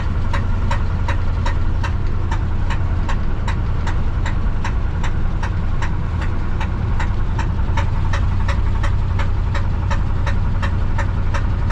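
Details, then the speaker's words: 1968 Ford F100 V8 on a test drive after a water pump install: sharp metallic tapping about three times a second, plus knocking and clanking. Oil pressure and temperature are still good. "what's going on with it boys knocking ticking clanking all kind of things hear that knocking i hope i can make it to the house before it goes off"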